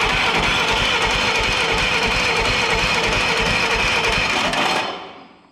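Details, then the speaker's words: Old Yazoo commercial zero-turn mower that sat in a barn for years: the starter turns it over steadily at about three pulses a second but it never catches; fuel is present but there is no spark. "There's no spark. So we don't have any spark. So let's figure that out."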